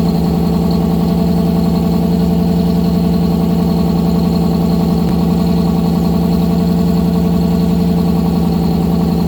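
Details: 1955 GMC 100 with freshly rebuilt 327 small-block V8, first run on a fresh battery: steady, even idle with smooth regular firing pulses, no knocks or misses; normal idle.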